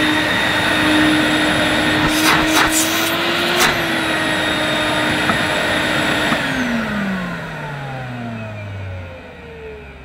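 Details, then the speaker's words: New-in-box Electrolux Masterlux 3-in-1 wet-and-dry vacuum, stored about two years, first run: steady, fairly quiet suction motor hum at an even pitch, a few handling knocks, then a smooth wind-down; sounds healthy. "sounds okay it's relatively quiet for a wet and dry"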